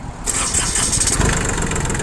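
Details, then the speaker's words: Shibaura P21F 4WD mini-tractor diesel with 140 cm rotary tiller, 772 engine hours, cold start after glow-plug preheat with clutch pressed: catches within a second and runs on with even clatter, no misfires or hesitation; healthy normal cold start. "Собственно, весь запуск. Видим, что все отлично, все прекрасно, то есть все работает ровно."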